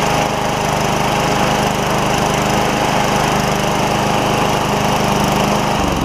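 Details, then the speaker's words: 1999 Craftsman mower, Tecumseh 6.75 Vector engine, after a new carburetor and self-propel repair: smooth, constant drone with an even beat and no sputter until shut off. Running normally. "so there it is guys we've got a 99 model Craftsman with the 6.75 Vector tumza back going again"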